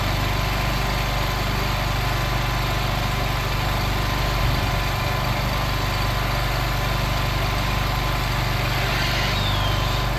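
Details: Craftsman Z6400 zero-turn mower after hydro drive belt replacement, revved up with blades spinning: steady single-pitch engine drone under load, no slipping squeal or belt chirp; running healthy.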